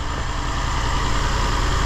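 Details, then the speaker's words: 2006 Infiniti G35, 200,000 km, new spark plugs, just started for ignition wand check: low choppy idle with stumbles; P0300 random misfire, bank 2 lean, ignition looked fine, traced to bad fuel injectors. "that it's not running very well we got some choppiness there"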